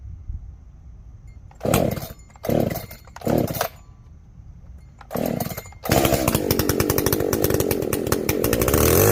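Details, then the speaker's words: Echo CS-590 chainsaw, first start after carb rebuild with limiter caps removed: a few short revs, then a thin, strained, buzzy full-throttle scream. It runs lean and needs much more fuel, so the high jet is opened a whole turn. "doing some weird stuff me thinkings it needs highjet here we go hey needs lots more fuel give it a whole turn"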